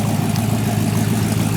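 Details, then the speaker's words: 1940 Ford Tudor V8 after fixes: bad torque converter replaced with 2200-stall unit, vacuum leak fixed, fouled plugs dealt with, carburetor bowl adjusted; deep steady burble, no stumble or hesitation; normal idle. "but now we're run just top there's no hesitation in it in anymore that's all been worked out"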